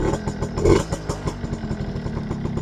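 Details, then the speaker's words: Suzuki RC100 two-stroke motorcycle after cleaning, running outdoors: crisp, dry popping exhaust pulses quickening as throttle is blipped, no rattle or misfire; healthy exhaust note. "knalpot masih renyah ini knalpot garing ini guys"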